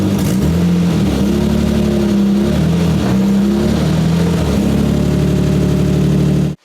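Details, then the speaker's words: BMW E30 petrol engine first start in months after drivetrain repair, on stands, revving with a loud raspy, blatty huge exhaust leak, just after the exhaust was refitted. "The E30 lives. It's alive. The E30 has a huge exhaust leak, but it's alive."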